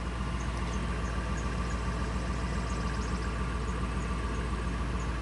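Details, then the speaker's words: 1999 Ford F250 5.4L V8, after an EGR valve fix for surging/rough idle, still in open loop: steady, even low rumble with no misses or surging, and RPM tracks desired RPM; normal smooth idle. "so they're following each other it's great idling real nice and smooth I like"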